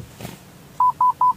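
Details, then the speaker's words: 2019 Toyota Yaris, automatic, in reverse: rear parking sensor beeps "tit tit tit" continuously, sharp mid-pitched about five per second regardless of obstruction; a rear reverse sensor is faulty/open circuit, no response shown on head unit. "tapi kalau yang bunyi tit tit tit itu ini karena sensor mundurnya rusak"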